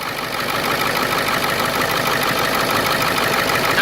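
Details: Ford 7.3 diesel Excursion just after replacing the seized pulley housing, pulley set and damaged belt: steady diesel idle, even clatter, no squeal or chirp, belt staying on the teeth; runs smooth and healthy.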